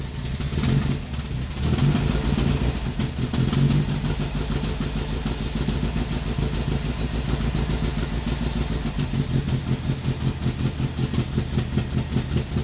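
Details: Ford Escort Mk1 Mexico after fuel pump replacement, test start with fuel poured in and choke on: engine catches and settles into a steady, even low beat with some early revving; sounds healthy.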